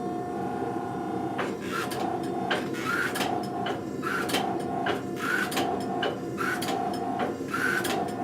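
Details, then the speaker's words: Blacksmith's hydraulic forging press pressing tongs stock (1/4 inch square) in quick strokes about one a second over a steady mid-pitched pump hum, rarely reaching the squealing overpressure point; normal operation. "Now you'll notice when I'm using the press, very few times will you hear it squeal, where it's like that overpressure point."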